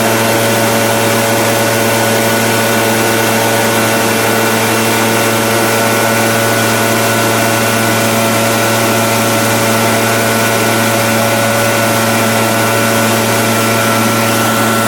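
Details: Echo PB-770H backpack blower, which had been dying after 10 minutes in 100-degree heat, runs after a carburetor change and air gap reset to .015; ignition was ruled out. Loud, steady high drone with constant fan rush, no surging or dropouts.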